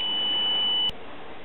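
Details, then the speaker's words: Circa-1949 Precision E-200-C RF signal generator after capacitor and resistor replacement: thin, steady high-pitched modulation tone holds about a second then cuts out; modulation works but sounds weak, and a tube swap did not help; cause not found. "now we have the modulation turned on as you can see there's something there now but it's still not quite as strong as I think it ought to be"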